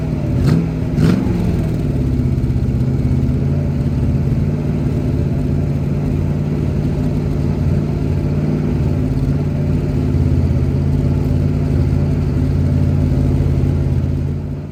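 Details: 1977 Holden HX Statesman Deville, 308 V8, sitting about 20 years, first run on fuel poured into the manifold: short rev blip, then steady, even idle with no knocks or misses; engine sounds healthy.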